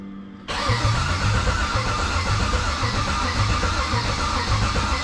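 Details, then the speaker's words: 1969 Chevelle on the starter after wiring the systems, building oil pressure before first start: steady, even churn with a low rhythmic pulse and no stumbles; normal cranking, reaching 60 lb of cranking oil pressure. "that took a while but hey 60 lb of cranking oil pressure that's pretty damn decent so we are good"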